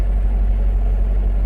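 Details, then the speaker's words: Ford Ranger at idle: low lumpy uneven idle with missed pulses, definite misfire. "Well, it's definitely got a misfire. It's definitely skipping."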